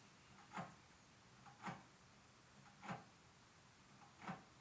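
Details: Bicycle wheel spinning in a truing stand after truing failed, its spokes out of adjustment near spokes 1 and 17: soft regular tick about once a second as the same bent spot catches each turn. Bent rim rubbing, beyond truing; new wheel recommended.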